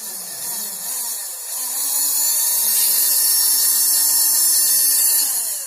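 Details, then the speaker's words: Homemade 12V mini hand drill, small DC motor wired to a battery, no chuck fitted yet: motor spins up to a steady high-pitched whir that holds even without wavering; sounds healthy and strong. "Nghe tiếng rất là ghê đúng không?"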